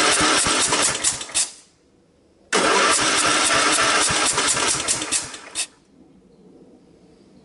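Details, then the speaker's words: Craftsman LTX1000 tractor, about 2000-2001, 18Hp OHV Kohler, weak compression, carburetor changed, no starting fluid: two even cranking bursts that never fire; cranking no-start, owner suspects blown head gasket. "to me it sounds like a blown head gasket what do you guys think"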